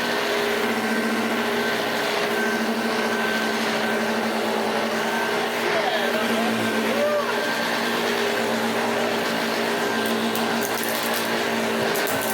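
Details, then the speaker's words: 1980s Hoover Junior U1104 upright vacuum after restoration, running with the drive belt refitted; steady even motor drone, constant whirring, no knocks or rattles, sounds happier under belt load, normal running. "It didn't. And immediately the machine sounds happier. Yeah, these motors they are designed to run with the belt on."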